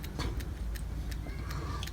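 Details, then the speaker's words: Steering rack removed from a 2012 Toyota Passo KGC30 with electric steering: small sharp ticks as the shaft is worked by hand, play from a worn rack bushing that becomes a loud irritating noise when driving; fixed by replacing the bushing. "That one can cause an amplified irritating noise. Right now it just seems like something small. But when it is mounted on the chassis and the vehicle is moving it gets amplified and it is very loud and irritating."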